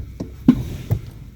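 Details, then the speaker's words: 2014 Toyota Sienna (3rd gen) pulling away gently in drive or reverse: dull, heavy clunks from the front, often on shifting out of park. A mechanic blamed the lower control arm bushing, but the cause was a loose upper engine torque mount, and tightening it fixed it. "But if I accelerate just a little bit, there is a clunk."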